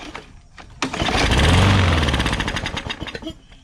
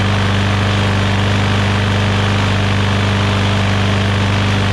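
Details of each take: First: Newer Briggs & Stratton push mower that had water inside, with fresh-smelling gas and dark oil. Fires on carb spray, chugs roughly, then sputters and dies as the spray burns off. Fuel starvation from water in the carburettor; carb to be removed. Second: Newer Briggs & Stratton push mower that had water inside, running after priming with gas and a dirty air filter. Single cylinder with a fast, even beat for six seconds, then shut off and coasting down. Normal running.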